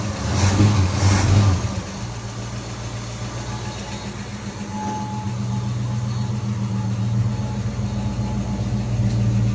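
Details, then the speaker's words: 1964 Ford Fairlane V8 barn find, 30,000 original miles, sat about 13 years, after regapping too-wide breaker points: early rev then steady low idle with even, smooth beat; all cylinders firing cleanly. "points were too wide. That's what was causing it. Sounds like it's hitting"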